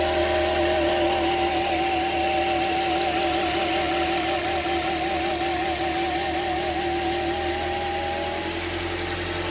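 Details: 2010 Toyota Corolla S, first start after timing chain replacement: a steady, even idle with a smooth hum and a faint wavering tone on top, no knocks or rattles; normal idle.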